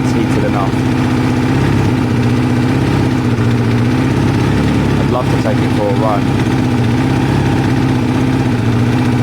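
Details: Kawasaki ZL600 V-twin after a project revival, new battery and pod air filters fitted, warming up on choke with smoke off the exhaust: steady, even idle with a regular low beat and no misfires or rattles. Healthy and smooth.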